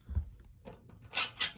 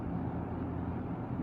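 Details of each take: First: Lakewood fan (S-223 vs P-223 comparison) with its switch being worked: four or five short, dry, high-pitched scratchy squeaks in quick succession. The switch squeaks, noted as a con of the fan. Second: Lakewood S-223 fan running: even, steady whoosh with low hum, slightly louder than the P-223 but with none of its motor rattle; healthy, smooth-running fan.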